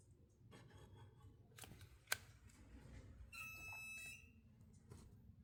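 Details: 2022 Nissan Maxima parked with ignition off gives a sharp click then a brief high-pitched electronic beep/squeal, intermittent, even with battery disconnected; sound traced to the front, near the fuse box.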